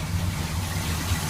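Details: 1981 Chevy K10 with engine rebuilt, about 5,000 miles since, after replacing a leaking fuel pump that sat 8 years: low, even V8 rumble with steady beat, no stumbles or ticks; idles smoothly.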